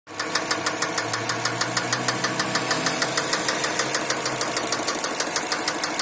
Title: Стук мотора subaru forester ej205